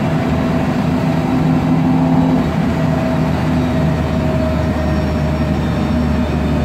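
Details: MAN Lion's Classic CNG city bus (code 07-527), MAN E2876 LUH03 EEV turbo engine, Voith DIWA 864.3 4-speed automatic, pulling away: a steady mid-pitched whine and loud gearbox drone, from a noisy Voith automatic and slight differential whine.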